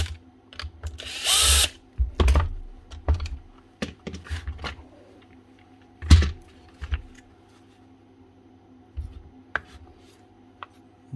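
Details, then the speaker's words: Makita 18V cordless SDS drill: motor buzzes in short uneven bursts and drops out mid-run, only when the drill is rotated certain ways; trigger switch or battery suspected, later found a broken switch wire. "no still doing it must be something else only doing it when rotate the drill certain ways can do it in any position"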